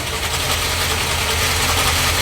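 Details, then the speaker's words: XB Falcon MFP Interceptor replica, long non-running, first start after getting fuel to the filter: steady idle with loud busy metallic rattle like a nut flung around the water pump; normal direct gear-drive cam timing instead of a chain. "So what you're hearing there, what sounds like a nut being flung around the water pump or something of the sorts, is a direct gear drive. So instead of having a chain between the camshaft and the crankshaft, it's got gears."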